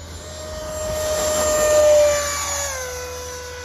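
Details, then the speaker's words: Freewing F5 Tiger RC jet after swapping 9-blade for 12-blade fan on same KV motor: high coarse, ragged fan whine through takeoff run-up, then settles lower; sounds weird and sickly, 12-blade fan does not work with this motor. "takeoff sounds very weird it s does sound weird it definitely sounds different"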